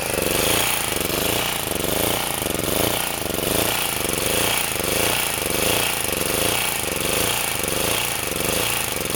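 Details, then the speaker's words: Sportsman 2000 W four-stroke generator under a 1500 W space-heater load, running on grass: governor is too sensitive, responds too violently and bogs the engine, so speed hunts up and down about once a second; generator surging. "because what happens is it responds too violently and then it buls the engine down"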